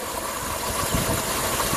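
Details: 1999 Pontiac Grand Prix GM 3800 V6 with a P0300 misfire, running rich and a red-hot catalytic converter. After the coil pack was replaced and spark restored, it idles smooth and even, firing on all cylinders.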